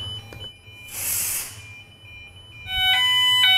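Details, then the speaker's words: Nittan fire detection demo with steam introduced: quiet start, then steady high shrill alarm tone with pulsing beeps; standard detector is falsely triggered by the steam while the dual optical detector stays silent. "You can hear the alarm operating now. That's the standard detector that's being affected by the steam, but the dual optical hasn't been affected."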